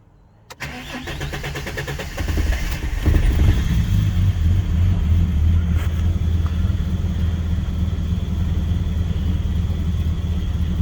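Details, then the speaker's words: Ford EB Falcon manual six-cylinder after throttle body/actuator cleaning and new leads: cranks, catches, then uneven lumpy idle, like missing a cylinder; owner suspects distributor timing or old bad fuel, unconfirmed. "ran rough heaps of smoke um so i wonder if if it's not the dizzy which it might be it might be going in and out of timing and that's why when you're rather it sounds like it's just uh missing missing a cylinder"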